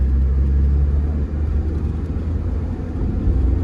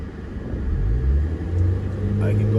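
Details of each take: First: 2005 Scion xB manual in limp mode with codes P0351–P0354, under load in second gear. A deep flat drone that won't climb past 2500 rpm, bogging without misfire or rough running, traced to a shorted ignition coil. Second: 2005 Scion xB manual, formerly in limp mode below 2500 rpm with codes P0351–P0354, after an ignition coil connector/wiring fix: the engine climbs smoothly past 3000 rpm with no stumble or bogging, and the check engine light stays off.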